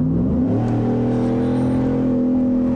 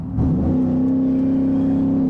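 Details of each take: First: 2020 Ford F-150, 5.0 Coyote V8, 10R80 10-speed, about 30,000 miles, loud aftermarket exhaust, revving: deep raspy V8 note climbing smoothly and holding even, no knocks or rattles; healthy engine. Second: 2020 Ford F-150, 5.0 Coyote V8, about 30,000 miles, driving under light throttle: deep, steady, boomy exhaust drone at one pitch; overly loud, annoying aftermarket exhaust the reviewer would remove.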